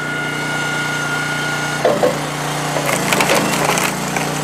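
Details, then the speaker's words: Commercial two-stage hydraulic log splitter (All Wood) after adjusting the pump to stay in stage one longer, splitting the toughest log of the day: engine drone dips slightly as the wood splits, never bogs into stage two, then recovers; normal under load. "never slowed down you didn't hear that motor bog right there into two and then Powers right through it that was the toughest piece we've split yet today"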